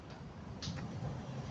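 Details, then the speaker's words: Yamaha Fino scooter, owner complaint of loud noise when riding: at idle a heavy low rumble with loose metallic ticking, an abnormally loud CVT from a damaged, loose drive pulley; possible past accident, dented footrest. "แต่หลังจากที่ตรวจสอบในเบื้องต้นแล้วนะครับนะก็ลองให้นักศึกษาเ้าลองติดเครื่องสิ่งที่ได้ยินนะครับก็คือมีเรื่องของเสียงดัง"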